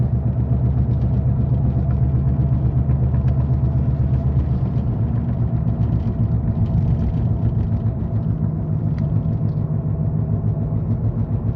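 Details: Car moving with a steady, deep growling rumble from a bad wheel bearing that needs replacing soon.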